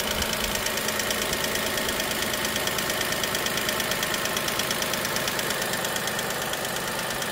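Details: Dacia Sandero SCe 75 petrol engine at idle: light, fast, steady top-end tick about three per second over an even idle; cause unknown.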